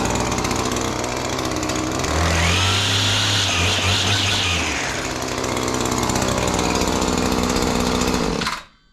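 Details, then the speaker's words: Two-stroke string trimmer with 245 hours and a Speed-Feed 450 head, started without priming after sitting since yesterday; crisp buzz rising smoothly to full throttle, easing back, then shutting off cleanly, healthy. "this trimmer is probably my favorite trimmer of all time it has incredible power"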